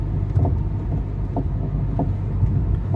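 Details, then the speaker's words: Mercedes-Benz W204 driving on a bumpy road, heard from inside, seemingly right side: intermittent rattle and dull clunks every half to one second over low road rumble; worn front strut top mount bearing. "this morning or earlier i had my car do a rattle clunking sound on me i hardly replicate the sound because it's not always there"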